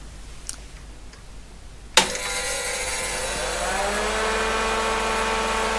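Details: PDP-11/34A vintage computer, first power-up in its cabinet in about 40 years: a click, then a fan hum rising in pitch over two seconds and settling to a steady, even whir; the fan is healthy and the machine boots.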